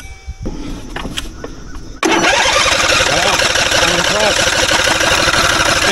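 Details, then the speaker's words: 2.4 L diesel engine that sat for a while with its battery at 4.01 V, boosted to 15.2 V by an Andeman E-P155 jump starter: starter spins the engine steadily and fast for seconds, never catching. Long cranking, no start. "tell you what though I'm really impressed cuz I'm cranking this thing over a lot"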